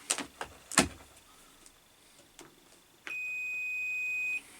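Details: Crompton Parkinson 180 W single-phase induction motor, mains plug just fitted: a few probe clicks, then a steady high beep for about a second, confirming good earth continuity to the body. Continuity tester beep.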